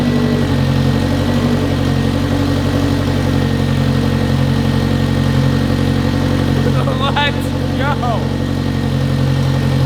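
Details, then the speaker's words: 1993 AWD turbo K-swapped 1000 hp Honda, fresh self-built blueprinted engine, first run with good oil pressure: steady, even idle at about four pulses a second with no misses or knocks. Sounds healthy, though a misfire issue was noted later. "I mean so far oil pressure is awesome it sounds healthy as could be and it cranks right over which is you you can't beat that"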